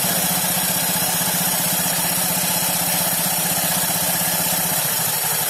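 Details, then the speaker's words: Honda Beat FI Eco scooter, CVT cover open, idling: a harsh gritty rumble with a fast uneven flutter. Rough CVT noise is attributed to the V-belt, which is still in good condition but has uneven edges; the fix is sanding the roller weights. "Jadi suaranya itu kasar ya, seperti ini. Tapi untuk suara kasar seperti ini kayaknya ini dari pendel ya."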